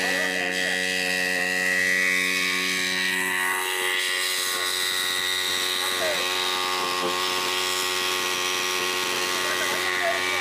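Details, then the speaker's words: Water pump built from an old bike engine, primed and running: loud, steady engine drone with a rich buzzing tone and no load changes, too loud to talk over; the engine's poor condition is suspected as the cause. "பம்புல இருந்து பயங்கர sound வருதுங்க. அதனாலதான் ரன்னிங்ல இருக்கும் போது என்னால பேச முடியல."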